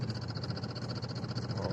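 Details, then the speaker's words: Renault Megane 3 diesel while driving, warning light on; lumpy, uneven beat with stumbling firing pulses, engine shaking and jerking, bangs when more throttle given; misfire found to be failed third injector. "чую як так ніби троїть написано їду і мотором прям в штиліпає от зараз дьоргається все"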